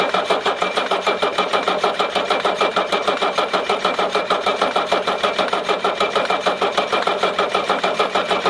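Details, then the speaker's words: 1981 Mercedes-Benz 300SD with OM617 diesel, after turbo rebuild, new EGR valve and injection pump overhaul for oxidation: steady, even starter churn at several beats a second that never catches; engine doesn't even cough. Crank no start, cause unknown. "Alors comme vous avez vu, donc voilà, hein, donc il ne démarre absolument pas. Pourquoi? Je sais pas, hein, je sais vraiment pas."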